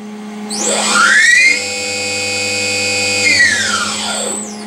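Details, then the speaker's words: Novakon Torus Pro CNC mill spindle under Mach3 after the spindle acceleration settings were changed to 5000/5000, possibly not saved: clean tone sweeps up, holds steady, then sweeps down; smooth normal ramp, maybe slightly slower, hard to tell. "little bit slower hard to tell"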